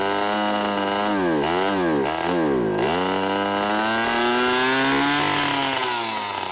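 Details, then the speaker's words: Antique garage-sale outboard, two-stroke, after fuel valve turned on: crisp buzz rising and falling cleanly with throttle, then steady without missing; runs properly. "so then that figures yet again stupid outboard starts and runs absolutely perfectly"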